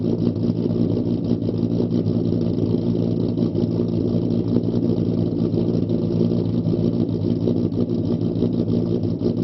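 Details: Ford Mustang 4.0 V6 with idle chop mod, idle raised from 675 to 725 rpm, startup test before road test: low, uneven chopping idle with a loping rhythm under steady exhaust rumble, deliberately tuned lope; 675 setting had dipped to 620 rpm.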